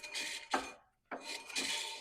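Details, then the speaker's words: Toyota Yaris at 330,000 km, rear drum brake: harsh metallic scraping in two passes as the drum turns, caused by rust flakes and dirt inside and a bent backing plate. "That's the noise that we've been hearing and we're looking for. So, as you can see, there is a bunch of rust flakes and a little bit of dirt in there as well as it is bent in some places."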